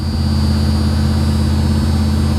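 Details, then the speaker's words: 1982 Chevy Camaro Crossfire V8, salvage-auction car, not cold day: steady even V8 hum held around 1800–2100 rpm just after starting; high idle. "she fires right up idling a little high but hopefully it'll drop down here in a second she's running about 1800 rpm now 2 000."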